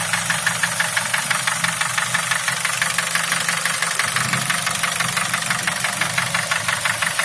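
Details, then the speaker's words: Nissan QG18DE engine nearly at operating temperature: sharp, even tapping about three times a second over the idle; knock quietens as the engine warms and is nearly gone above 2000 rpm under load; cause not yet found. "Сейчас двигатель прогреется и стук по звуку уменьшится. Еще раз попробуем. То есть сейчас уже практически не слышно стука."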